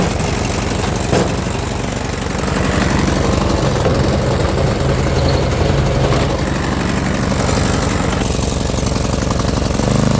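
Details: Small single-cylinder snow blower gas engine, after long storage wouldn't start due to carbon-clogged carburetor orifice; fixed by removing carb bowl, spraying carb cleaner in centre jet, refitting; now starts and holds fast, even beat without stumbling — normal running.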